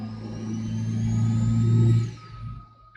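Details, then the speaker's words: Mitsubishi Evo IV, driver's-seat POV under throttle after fitting a Mac valve boost control: rising turbo whistle climbs over engine roar then fades when pedal lifts; normal spool-up, louder than before despite recirculating intake. "Man, you can hear the turbo spool up. I don't know if you can hear this on camera."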